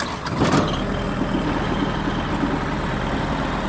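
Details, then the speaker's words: Kubota GT-3 mini tractor, 4-cylinder liquid-cooled diesel, 570 engine hours, started cold on a chilly day with clutch pressed: fires at once and settles into a soft, quiet, even idle with no knocks or misses; normal. "Но, тем не менее, трактор запустился без каких-либо проблем. Работает мягко. И даже тихо."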